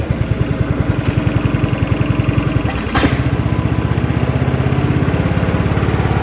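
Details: Craftsman riding lawn tractor (part 917.273760), single-cylinder engine with loose exhaust and loose pulley, carb and fuel being fixed: low thumping at about 3.5 beats a second stumbles and misses briefly like a hit-and-miss engine, then recovers; uneven running from fuel starvation.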